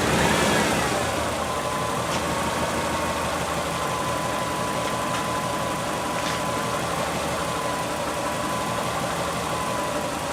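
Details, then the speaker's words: Subaru engine with top end refreshed, bottom end not rebuilt; revs drop from a blip to idle with faint irregular tapping about three per second under the drone, owner suspects early rod knock, before Lucas oil stabilizer. "If you have any input on what it sounds like, then please do, but I'm pretty convinced it's, early set rod knock."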